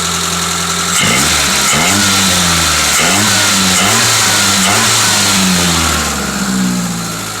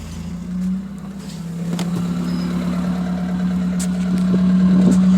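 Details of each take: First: 1984 Toyota Corolla SR5 AE86, left-hand drive, heater core disconnected for leaks: steady even idle, then several clean revs climbing and dropping smoothly with no misses or knocks; runs good. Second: 1984 Toyota Corolla AE86 with Weber carburetor, exhaust cut off with no muffler: loud, raw, droning note climbing slowly with revs, plus a rattle; silencer missing.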